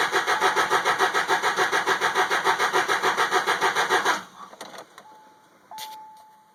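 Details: 2002 Subaru Outback H4 manual: even starter cranking at about three and a half beats a second, never firing; crank, no start, first with the fuel pump fuse pulled, then with it in place.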